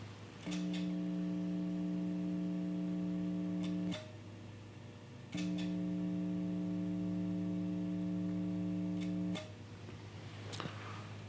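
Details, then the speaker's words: Two guitar amps connected together, lapel mic near the amp, at low volume, ground switched between lifted and not lifted: steady low buzzing hum coming in and out in blocks, louder when not lifted. Ground loop hum. "and of course when it's not lifted that's when you're hearing the uh the greater hum"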